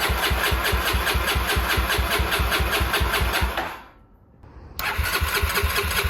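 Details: 1989 Honda NX250 after restoration, fresh 10W40 oil, coolant and battery; starter churns at an even beat about twice a second, pauses, then cranks again without catching: no-start from wrong carburettor pilot jets.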